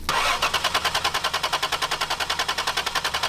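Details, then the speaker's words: Crank no start on an MGB GT after mouse-chewed wiring was replaced: starter cranks steadily at about three and a half pulses a second but the engine never catches; owner suspects no fuel reaching it though the fuel pump is heard running. "yeah I don't it's not getting fuel fuel pumps on I hear it"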